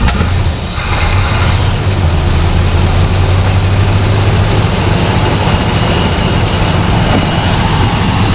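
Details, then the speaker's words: 1974 Plymouth Satellite Sebring Plus V8 off the road about 20 years, first run after adding fuel: steady, even idle with smooth low rumble, no ticking or valvetrain noise; oil gauge not working, oil pressure assumed present; normal idle. "I know we have oil pressure we didn't have oil pressure this thing would be clattering like crazy"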